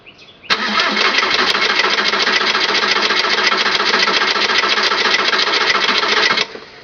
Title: 2002 Jetta TDI Hard Start